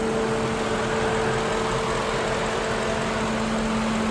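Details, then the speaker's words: Lincoln Town Car after replacing an electric radiator fan motor that wore out after 19 years and caused overheating; idling warm, thermostat open, temperature holding normal. Constant mid-pitched fan hum over an even idle; cooling fan running normally. "You hear the fan. This radiator hose ain't really that warm. It's holding right at normal. Boy, it's good to hear that fan going. Yeah, I haven't heard that for a while, guys."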